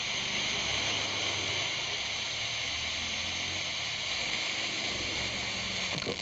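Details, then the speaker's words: Radio that powered on with no sound, after connecting the audio IC, powered on again: steady, even static hiss from the speaker with no dropouts or crackle; repair successful, normal receiver output. "Light එක පත් වුණා. ඔයාලට ඇහෙනවා ඇති දැන් show ගාලා සද්ද වැඩ කරනවා. ඒ කියන්නේ අපේ රිපෙයාර් එක සාර්ථකයි."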